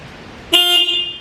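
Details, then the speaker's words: Project motorbike bought for $300, old fuel, fluids unchecked, smoky and reluctant to idle: a single short clear high-pitched honk; the horn works. "give the horn a little bit amazing oh yeah she works"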